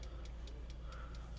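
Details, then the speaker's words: 1995 Isuzu Elf Outback Express camper van, parked, gas system switched on and set to 4: light even ticking about 4.5 per second over a low hum as it starts up; normal gas control ticking. "These are the gas settings. You can hear that little ticking, starting to think."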